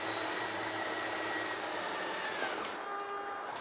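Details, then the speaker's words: RV slide-out extending, RV level and engine off: steady electric motor hum with a whine that drops in pitch as the slide hits its stop and the motor loads up, then the button is released; normal travel. "As the slide reaches the end of its travel, you'll hear the motors start to load up, at which time you just let off the button and it'll kind of park itself."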